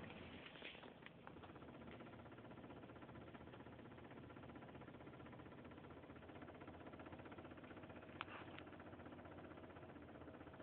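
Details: Audi A4 1.8T quattro: light, loose rattle ticking about three times a second over a quiet idle; source unknown, owner still trying to track it down.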